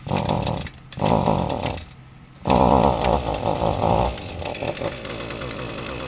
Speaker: sounds like an idling well and they're running